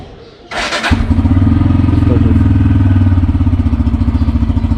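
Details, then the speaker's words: Motorcycle on a cold winter morning, self-started. Brief starter whir, then the single catches and settles into a steady, slightly lumpy cold idle; hard cold start. "আপনারা চেষ্টা করবেন যে normally start দিয়ে, ধরুন আমি যে start দিলাম, start হচ্ছে না,"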